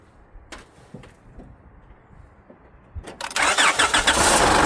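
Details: 2006 Honda Odyssey towed in, customer suspected transmission: engine starts after a few clicks and runs busy with an irregular knocking from the front, traced to the timing belt area; possibly the belt flopping and whacking the cover, timing covers to come off.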